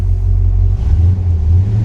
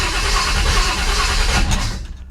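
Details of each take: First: Rebuilt 1957 Chevy Bel Air V8 restarted, with a deep, even rumble holding steady with slight dips; runs well with no knocks or misses, though it is throwing power steering fluid for an unknown reason. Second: Rebuilt 1957 Chevy Bel Air on its first start with a newly set distributor and no coolant yet: steady cranking for about a second and a half that never catches, a slow, reluctant start, then it backfires through the carburetor.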